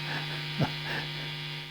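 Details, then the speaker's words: Marshall Origin 20 tube amp modified with Headfirst Sirius replacement board: steady low constant-pitch hum in the background, which the owner attributes to nearby studio lights; mains hum. "what you'll see well you'll probably hear it there a slight home in the background maybe I'll look at that at another time"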